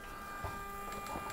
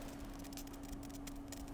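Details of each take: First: Stratasys Dimension BST 3D printer retrofitted with a Smoothieboard, Gecko drive and 48 V supply: X and Y axes jog with a quiet, steady high-pitched stepper hum and faint clicks; smooth, normal motion. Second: Rebuilt Stratasys Dimension BST 3D printer, testing a chamber heater after wiring the heaters through the Smoothieboard: faint steady hum with irregular crackling fizz. The heater is sizzling; cause unknown.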